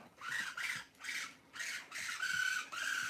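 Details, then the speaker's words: Traxxas nitro Slash set up as a Mud Boss, first power-on: throttle servo on channel 2 gives repeated whirring bursts about every half second with a strained high buzz; channel 2 needs reversing. "Oh, that throttle servo is not feeling good. Let me do some reversing on this. So channel 2 needs to be reversed."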